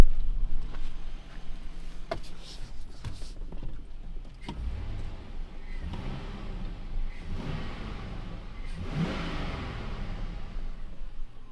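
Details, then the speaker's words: Chevrolet Silverado V8 given light throttle while still warming up after the mass air flow sensor was reconnected: a low rumble with quick blips that rise and fall cleanly, no knocks or misfires, and it sounds nice. Normal revving. "Oh, it sounds nice."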